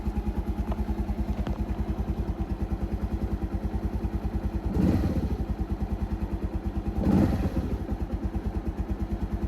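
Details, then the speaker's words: Keeway 125cc motorcycle with a Suzuki GN/GS engine, now running after a battery replacement and extra choke: even single-cylinder putter with two clean throttle blips, no knocks; healthy. "sounds pretty healthy no engine knocks no nothing so the the Assumption of the battery being the corporate was right"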